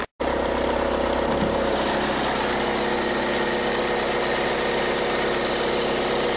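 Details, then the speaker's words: 2013 VW Jetta TDI diesel idling: a busy, loose rattle over the diesel clatter, suspected by the customer as dual mass flywheel, actually a failing alternator one-way clutch pulley, which is replaced. "might just sound like it's a diesel which it is but there's definitely rattle noise there"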